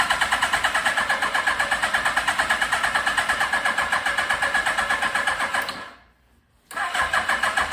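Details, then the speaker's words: 1982 Suzuki GS1100 motorcycle, not started in over 20 years, good compression but carbs running lean (towel over air filters): steady starter churning about three beats a second with no firing as the battery dies; cranks, no start. "all right guys it's the next day as you saw the battery died so i had to put it on the trickle charge overnight"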